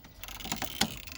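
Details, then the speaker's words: Ford Escape that suddenly stopped starting: sharp dry ECU relay clicks with engine off when wiring is touched, ECU fuse blowing and no diagnostic connection; caused by a broken ground terminal, fixed by replacing the terminal. "Класа реле. От я за нього берусь. Бачите? Да, воно клацає."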